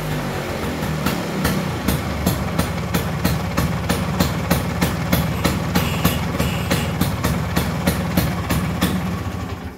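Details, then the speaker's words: Restored 1970 Vespa GT (Granturismo) 125 two-stroke with a non-original aftermarket exhaust, fuel nearly empty: deep, even putter with crisp pops about three a second, steady and strong. "Knalpotnya bukan knalpot bawaannya, tapi mantep sih jadinya. Ini kalau dipakai jalan pasti Cihui banget. Ngetuk banget tuh suaranya."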